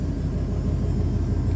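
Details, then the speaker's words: GM V8 with about 25,000 miles, revived after seizing from oil cooler hose failure: a steady, low, even idle that sounds like it is firing on all eight, though smoky, which may clear. The remaining screech occurs only in reverse, and the owner suspects the thrust bearing. "Sounds like it's firing on all 8. Smoky. Just smoky. That might go away."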